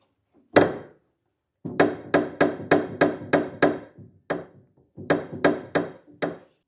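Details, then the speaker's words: Kawai GX-3 grand piano after tuning, pedal knocking: sharp wooden thunks about three a second each time the pedal is worked quickly; pedal was too low with too much gap (air) in the linkage to the dampers, fixed by taking up the gap. "The gap here is too much. I have to take air from the pedal."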